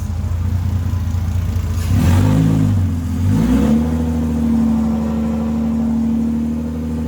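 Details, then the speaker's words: Rebuilt 2JZ in a KE70 Corolla, after plugging in unplugged injectors: engine catches, blips through a quick rev and settles to a steady, even idle; running healthy. "It's alive. Thank you. Stoked. Sometimes your hard work pays off."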